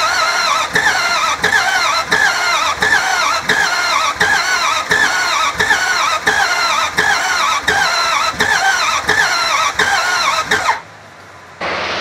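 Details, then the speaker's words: Non-running 2003 Dodge Ram 1500 4.7, cranked on ether after a weak fuel pump was suspected: slow, labored cranking with a heavy clunk about every 0.7 seconds and no catch. No start; cause unconfirmed; code P0032 set afterward. "wow it really cranks weird i don't like the way it cranks at all"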